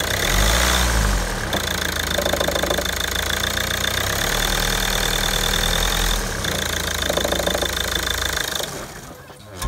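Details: 2009 Ford S-Max 2.0 TDCi diesel, 57,000 miles: the engine runs, shuts off with a click, then a steady high whine lingers and slowly fades; the owner also asks about a knocking sound at switch-off.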